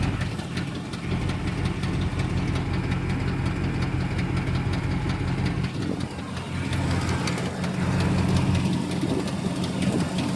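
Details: 2006 Dodge Ram 1500 4.7 V8 idling with a steady low rumble and light, uneven ticking about three a second; cause unknown: lifters (lash adjusters) already changed, heads remanufactured after a blown head gasket, new timing kit and water pump.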